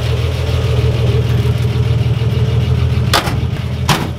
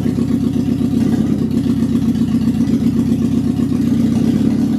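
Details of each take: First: 1955 Ford Pop with re-jetted Holley carb: deep, steady, even idle with a couple of handling knocks, picks up when revved; normal idle. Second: Classic Alfa Romeo with rebuilt Weber 40 DCOE 2 carburettors: uneven, lumpy, stumbling idle; throttle valves not sitting well on one carburettor, flow meter reading about seven or eight versus about three, causing air leak and rough running.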